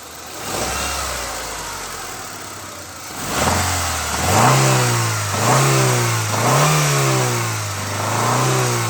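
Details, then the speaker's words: Honda Stream engine revved from idle: quiet at idle, then a hollow knocking (ngelotok) rises with each rev, quickening and louder with throttle; suspected bottom-end knock needing overhaul, cause not confirmed. "Nah itu Ya temen-temen jelas banget kan saat RPM dinaikkan atau gas kita tekan ya itu ada suara ngelotok ya teman-teman itu sangat jelas"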